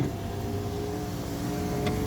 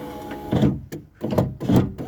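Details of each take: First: Project Ruby after broken window regulator repair, window driven from bottom to top: smooth steady motor whir without straining, ending in a firm clunk; window now works, though the cam has occasionally slipped. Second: Power window with the door card off: the motor drones in uneven spurts, its pitch sagging and nearly stalling as the glass labours. The window regulator likely needs replacing.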